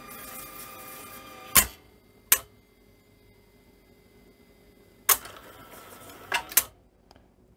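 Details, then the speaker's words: Philips N1700 VCR-LP after a board modification: a thin motor whine fades between sharp clicks as the head drum grinds to a halt instead of holding speed. Owner suspects faulty servo circuitry. "Yeah, it's like the server circuitry is not right. I can hear the heads just sort of grinding to a halt."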